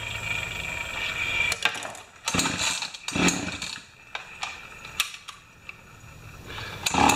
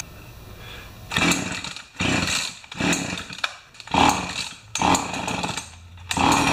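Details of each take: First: Pioneer Partner 500 chainsaw after fuel tank clean and reassembly, idle just turned up; after start-up pulls and sputters it catches and settles into a steady high buzzing run, running normally. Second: Pioneer Partner 500 chainsaw after fuel tank clean and reassembly, kinked fuel line noted; revs in repeated bursts then sags to a weak, nearly dying idle between blips, idle speed set too low.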